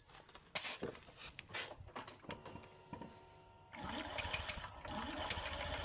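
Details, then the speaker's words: Honda Beat scooter (smooth starter type) after installing new CVT belt; starts and revs smoothly with no whine, which a loose belt would cause. Normal CVT operation. "oke teman-teman ya nampak suaranya halus ya halus dan digas enggak bunyi Wing gitu kalau dikasih bunyi Wing gitu biasanya karena fanbelnya sudah kendor"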